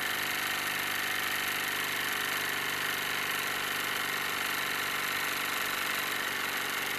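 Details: Wilesco D-18 tabletop steam engine running outdoors in a back garden: fast, even hissing chuff with a fine steady beat, no knocking or stumbling; normal smooth running.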